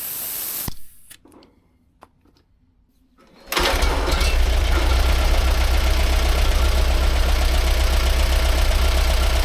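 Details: 1945/1946 Allis Chalmers Model B tractor, magneto ignition, barn-stored about 20 years, after dirt was cleaned out of the fuel supply: after a short quiet gap the engine catches and settles into a steady, even beat near four a second; running sweet.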